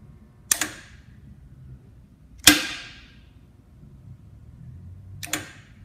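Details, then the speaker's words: Maxon Series 5000 gas shutoff valve cycled with side panel removed and one of three electrical components unhooked: three sharp solenoid clacks with silence between, solenoid pulling in but no motor hum, so the motor operator has failed. "so what we can hear is we can hear and see the solenoid physically pulling in but what we don't hear or see is the motor operating so in this scenario the motor operator has failed"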